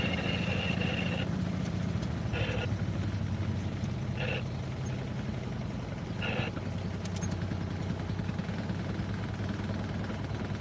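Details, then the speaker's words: Boat engine cruising on calm river: steady low drone with short hissy bursts cutting in and out about every two seconds; radio clicking on and off because squelch is out of adjustment. "Got my squelch out of adjustment. You can hear my radio clicking on and off."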